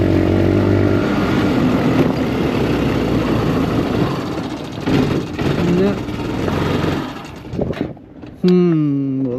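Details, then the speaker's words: Honda Recon ATV revived after years sitting, rear end rebuilt: runs fine at first then sputters and surges at low/part throttle, won't pull the hill as if starving for fuel; owner suspects gunk in carburetor. "Yeah, you guys hear that? It's like she's running out of fuel. Doesn't want to pull the hill. Wonder if we still got a little bit of gunk in her carburetor. Yeah, she did good at first. Now she's sputtering just under low throttle."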